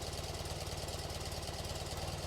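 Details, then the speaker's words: BMW R65 boxer twin being carb-synced after secondary air system delete: low, even idle of about twenty pulses a second sags and dies down as one cylinder's idle mixture screw reaches one and a half turns out; mixture screw set too far out. "one and a half turns. It died down."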